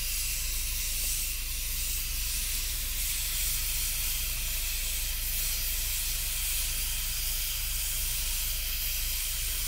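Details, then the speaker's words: Afghan Kazan aluminium pressure cooker on a campfire, first cook: steady, even steam hiss from the valve with no sputter or screech while cooking; normal venting. "every time that little puff of steam comes out you can smell it cooking"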